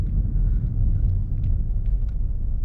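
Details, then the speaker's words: Chevy Malibu with codes P0121, after throttle body cleaning for rough idle and stalling, driven and brought to a stop: low, even engine rumble, rpm steady with no dips or stumbles; normal idle. "come to a stop rpm stay nice and steady so it seems like this take care of our problem"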